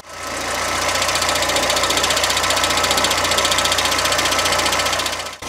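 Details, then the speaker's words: Car engine running with clutch pedal pressed or released, fast steady metallic rattle about four beats a second; damaged clutch release bearing (collarín). "que pongan mucha atención a este ruido ya que este ruido se le conoce como collarín dañado"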